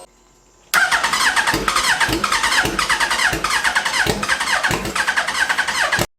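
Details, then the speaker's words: Hayabusa-swapped Mini Citicar (32-bit ECU/flywheel conversion): fast starter whir with rhythmic surge, never catching; crank no-start because the seller supplied a bad fuel pump, fixed by refitting the original pump. "oh okay 2 hours later turns out the seller sold me a bad fuel pump I put the original one back in let's see if it starts that's better"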